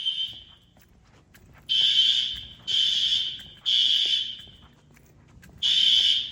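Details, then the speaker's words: Fire-Lite ES-200X fire alarm system (replaced a 6808) on test: loud shrill horn blasts about a second long with short gaps, repeating, heard over a barely audible SpectrAlert; horns sounding properly during the test. "Yeah, that advance, you hear that advance over the spec alert, you can hardly hear the specky."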